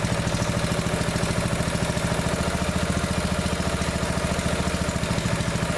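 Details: Neglected riding mower revived, after fitting the correct fuel line and clamps and putting the shutoff and filter back on, fresh gas, jump pack on weak battery: steady, even putter at about three and a half beats a second, no misses or clatter; runs perfectly now.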